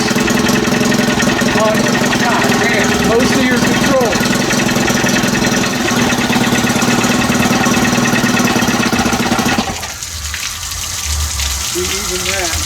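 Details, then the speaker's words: Cold 30 hp Evinrude two-stroke outboard with no thermostat and new throttle cable, barely on fast start, running rough then revs sag and it quits as throttle plate drops fully closed without idle stop; stalling at idle, needs warm-up. "oh it's vibrating itself all the way back down"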